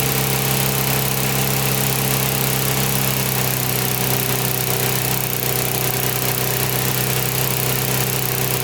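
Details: Older Briggs & Stratton 3.5–4.5 hp mower engine with carb on metal tank, after carburetor diaphragm replacement and cleaning: constant, even single-cylinder drone with no misses, surging or knocks, holding steady speed. Runs healthy.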